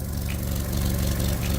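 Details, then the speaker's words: Ford Ka (Fiat 500 underneath) on inspection: idling with loud, deep rumble and rough chuffing in time with firing, louder than it should be; rotten exhaust blowing and needing replacement. "definitely I need that exhaust done"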